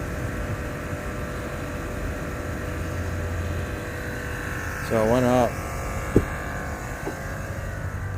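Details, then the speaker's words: 2008 Range Rover Sport after repairing lost-communication faults (U0159, U0127) that disabled air ride: steady, even low electric hum as compressor lifts vehicle to off-road height, no rattles or strain; air suspension working normally. "so if we go up you'll see now it says raising vehicle it says suspension off-road height closed door to change height so we'll close the door and there it goes look at that so everything's working now see that"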